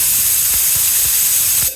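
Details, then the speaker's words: Automatic tank drain on a newly installed shop air compressor, owner may pipe it outside if puddles form: short sharp hiss of air and water under two seconds, then cutoff; normal cycling. "okay that's just annoying now I don't think the thing is going to make big puddle"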